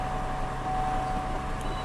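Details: 2003 GMC Envoy XL after a crank/no-start repair (codes P1120/P1220/P1523/P1515), codes cleared and restarted: a quiet, even idle with a steady mid-pitched hum and no misses or knocks. Normal idle.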